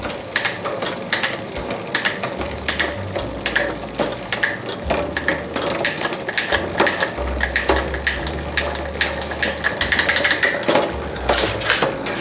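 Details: Trek FX 7.3 hybrid bike in the stand, after lubing and setting the front derailleur barrel adjuster: quick clean clicks as the chain steps across sprockets over an even freewheel buzz, no grinding or skipping; shifting normally.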